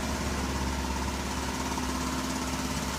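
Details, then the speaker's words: 1983 Buick Park Avenue at idle; light slightly uneven tick about three per second over the engine. Owner suspects leaky crossover pipe donut gasket, unconfirmed. Ticking at idle. "you can hear that ticka ticka ticka it's a leaky crossover probably about donut somewhere"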